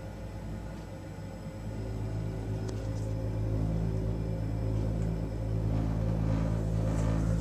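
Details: Baxi combi boiler firing after the thermostat calls for heat: heavy, steady low rumble and hum growing louder after a couple of seconds; burner running rough and vibrating, burner to be replaced. Cause suspected, not confirmed.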